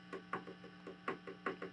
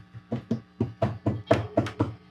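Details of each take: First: Fender Twin Reverb '68 Custom reissue, tapping a new JJ preamp tube: short dull knocks dying away over faint mains hum, barely ringing; tube essentially not microphonic. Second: Fender Twin Reverb Reissue '68 Custom, tapping preamp tubes (12AT7) to test for microphonics: each tap gives a short thump with a faint ring after, about four taps a second; this tube is mildly microphonic.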